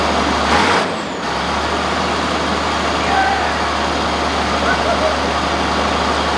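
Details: 1965 Allis Chalmers TL645 wheel loader, turbo 6-cylinder AC 3500 diesel, first start after 10+ years following a fuel-system and Stanadyne pump cleaning: short air burst and clatter, then a steady, even drone on its own fuel; the shutoff solenoid later failed to stop it.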